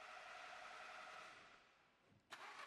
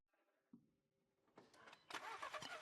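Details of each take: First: VW Golf Mk7 with the ignition on: the starter cranks the engine at an even, steady rate of about four turns a second, but it never fires. Crank, no start, with no ignition spark. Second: VW Golf 7 after a no-start repair: the ignition cable and pin had oxidized from water leaking from a damaged container, and no fault codes were stored; the cable was soldered and heat-shrunk. Now the starter cranks briefly and the engine catches cleanly to a steady run.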